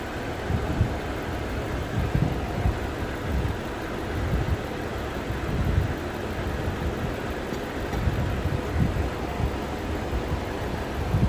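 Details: Lexus petrol V engine idling roughly with irregular low thumps and stumbles: misfire at idle.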